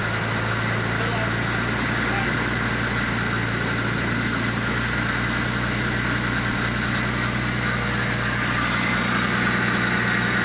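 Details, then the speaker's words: Nissan Skyline R33 GTS-T, newly rebuilt long block with new belts, first run after the old engine blew: steady even idle, smooth low drone, no knocks or ticks, air fuel ratio working; normal idle. "Sounds alright this end. Yeah, it's got new belts on it, it's near Yeah."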